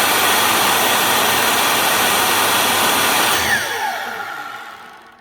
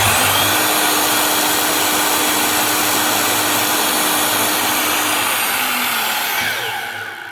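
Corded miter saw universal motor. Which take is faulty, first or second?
second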